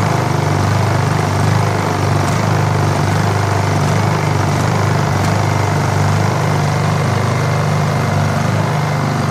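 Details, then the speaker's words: Honda EU2000i inverter generator during tune-up: low steady drone whose speed drifts up and down at idle, hunting; owner plans non-ethanol premium fuel and suspects a plugged idle jet needing carburetor cleaning. "you can hear them seeking maybe you can hear"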